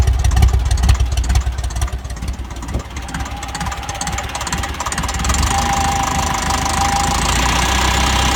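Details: TEF diesel at a low idle with an irregular knocking beat of about two a second and a lumpy rhythm; a misfire is suspected, not confirmed.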